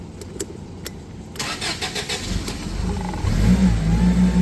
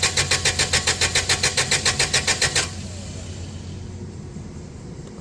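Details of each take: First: Toyota 8FGU25 propane forklift, after oil pressure sending unit replacement and the fuel selector flipped back to propane: brief cranking, then it catches at once and settles into a steady, rising idle; a normal start, and the oil pressure light is gone. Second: Toyota 8FGU25 propane forklift, first start after oil pressure switch replacement: steady starter chugging at about 3.5 beats per second for over two seconds, then it quits without catching, because the gasoline/propane fuel selector was switched off.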